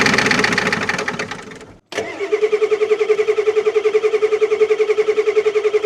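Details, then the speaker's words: 1989 Ford F250 7.3L IDI diesel, first start after sitting 6 years, glow plugs seemingly working: cranks and fires into an uneven chug pulsing about two and a half times a second over a steady drone; rough running, not taking fuel properly. "uh-oh it sounded good for a minute I can't understand why it's not taking fuel"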